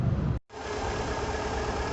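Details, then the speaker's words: VW 1.6 (Fox/Gol/Voyage) after piston replacement to cure valve-tapping-like noise; smooth, even idle hum with no tapping or knock — normal idle after repair. "E aí o barulho normal dele depois que fez no processo de troca dos pistões o susto que tava ruim lá do cabeçote"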